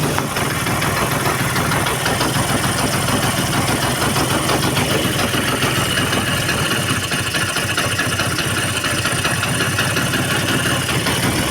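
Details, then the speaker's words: Vespa Excel two-stroke just after an engine rebuild with a new piston, warming up to bed in: busy crackly idle at an even speed with no knocking or rattles; normal idle. "Nah, ini kita panasin dulu ya mesinnya sampai beberapa waktu ya biar bloknya kenalan dengan seher yang baru."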